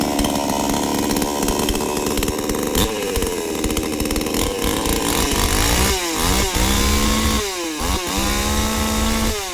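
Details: New-model Kratingdam 5800 two-stroke chainsaw with 11.5-inch bar, started on choke, choke then pushed in: idle and crisp throttle blips rising and falling cleanly with even firing, no stumbles; normal running.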